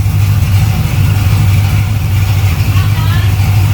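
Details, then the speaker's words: V8 idling at about 700 rpm just after starting, with rewired electrics: a steady, deep, even beat with no knocks or misses; sounds good. "That's not bad. Yeah. I rewired all that too. Yeah. I like it. It sounds good. It does sound good."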